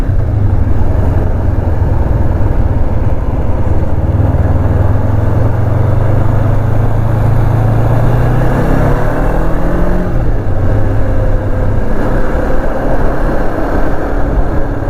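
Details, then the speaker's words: 2005 Kawasaki Ninja 500R twin, 22,000 miles, revived after sitting 10 years, new oil, after carb synchronization, riding under load; smooth even drone, pitch climbing cleanly with revs and smooth shifting, no knocks or misses, running perfect. "Yeah, this one is just running perfect. So perfect. That's crazy to me. 22,000 miles and this thing feels like the day it came off the lot."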